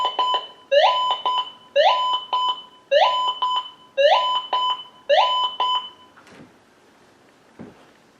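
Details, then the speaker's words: Minelab GM 1000 (Gold Monster) metal detector, indoor test: loud tone about once a second, rising beep then a low note, from steel lying close to a small gold piece; this masking is called ghosting. "And this is what's called ghosting. This is a piece of steel laying really close to a nice little piece of gold."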